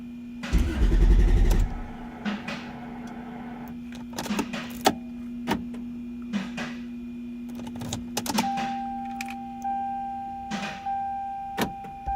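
A short burst of cranking that never catches, then only clicks and a steady hum; a hot engine that cranks but won't start.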